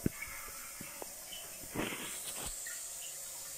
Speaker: de Anlaşılacağı gibi rezervuarımız şu an için su kaçırıyor arkadaşlar